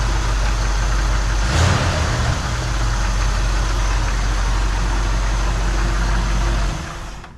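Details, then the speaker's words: 1979 Ford F100 V8, first start after an oil change: deep steady burble that stays even and settles smoothly before shutoff, no knocks or misses; normal idle. "all right here we go first startup after the oil change see what it sounds like this is our best running car by far"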